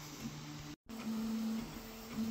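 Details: Prusa XL printer Nextruder hums through its moves with a low, changing rattling buzz from the part cooling fan, which is fixed only at its top left; wedging its bottom right side stops the rattle.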